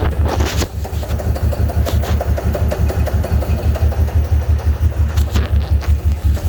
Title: 03 5.7 hemi no misfire no codes runs rough and rich